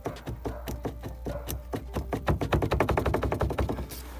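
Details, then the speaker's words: Renault Kangoo 2 with interior trim removed: the rear speaker bracket, shaken by hand, gives sharp plastic clatter at about four knocks a second. Its bolt is tight, but the bracket still moves and rattles. "І коли ми зняли обшивку, там є кронштейн, який тримає динаміки задні. І він рухається, дребіжить."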